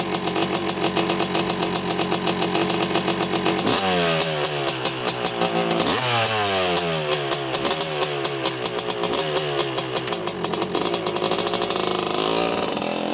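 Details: 1985 Honda CR250 two-stroke dirt bike on a quick test ride after cleanup, previously breaking up around three-quarter throttle: crisp crackle climbing and dropping cleanly with each throttle twist, no bogging or misfire; running great so far.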